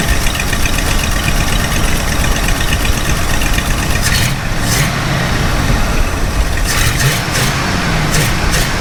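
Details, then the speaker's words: Ford F250 460 V8 with new Holley Street Avenger 670 CFM carburetor: loud, uneven, shaking idle with wandering beat; idle screw adjustment has no middle ground, either revving too high or too low and shaking. Cause unclear; original carburetor later reinstalled. "the problem is when you're sitting at an idle it's just so rough and you know I've tried adjusting the idle speed screw and there's no middle ground for this"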